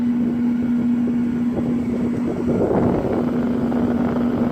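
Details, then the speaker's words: Old Sharp Comfort Touch 8,500 BTU window air conditioner with its fan on high: a loud steady hum and low drone with airy rush and no rattle or knock; the owner uses medium because it is quieter; the cause is not confirmed. "hi it makes it over a loud humming sounds on high alright here we go"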